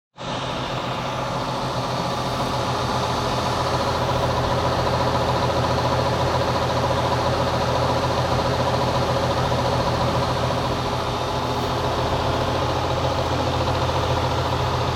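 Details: Goodman outdoor AC condenser fan: heavy low hum with steady tones and a faint pulsing beat; the owner is unsure whether the blades or the motor is at fault after frogs were chopped by the blades, though the blades look undamaged.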